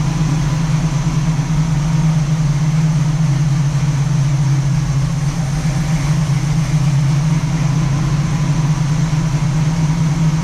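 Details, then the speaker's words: 1967 Camaro SS clone V8, first startup after sitting parked since 2000, a couple gallons of gas added, ignition hand-wired: deep even burble holding steady idle, no misses or knocks; running well, fuel possibly running low. "all right guys well last night we we had a very successful first startup it ran good sounds good not really anything to be concerned about as of yet"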